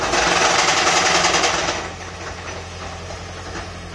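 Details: Toyota Prius engine with loud, fast, regular rattling knock about three to four a second that eases as the engine settles; heavy internal engine knocking.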